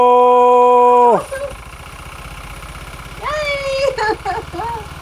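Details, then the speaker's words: 1980s turbo hot hatch, 36,000 miles, off road since 1992, first run after 33 years, no extra fuel given: steady even idle with regular firing pulses, no stumble or miss, "dead smooth"; normal idle. "It's running. It's dead smooth. It's dead smooth."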